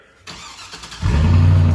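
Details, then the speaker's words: Engine with the muffler cut off after muffler problems: catches and settles into a deep, loud, even rumble with no rattle or buzz; normal idle with open exhaust. "know it it actually sounds a lot better than I anticipated it sounding I thought it was going to sound like some kids car from the high school parking lot but it actually sounds like it's supposed to have like that that like that's the way it's supposed to be"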